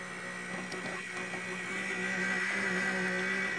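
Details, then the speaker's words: Mattel Barbie/Hot Wheels computer powered on with a generic test power supply, only motherboard and power button connected: a raspy, fluttering whir with a steady high whine; the CPU fan likely has loose, worn bearings. "Yeah, that CPU fan is a real problem. [beep] It was dead and dying on the Hot Wheels one as well. Apparently, that's a piece of junk. Got some loose bearings or something in there."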